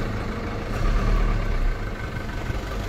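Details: Mazda T4000 diesel truck idling after a jump start with a lithium jump pack, its two big batteries drained to about one volt by a headlight relay that latched on; deep, steady rumble with an even beat, no knocks or misses, normal idle.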